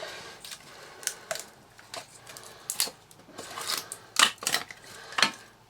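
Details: Hoover Turbomaster U5078 upright vacuum, unused for decades: irregular dry clicks and rattles about once a second as the motor is turned by hand; loose debris in the fan case, cracked motor housing.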